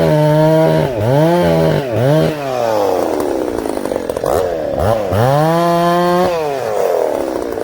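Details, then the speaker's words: Ported Husqvarna 266SE chainsaw cutting a hard tree, clutch in need of replacement: screams up, then bogs and sags in the cut, slightly blubbery at the top. Carburettor mixture slightly rich and could be leaned out. "Again, the old girl's a little rich. We could lean her out a little."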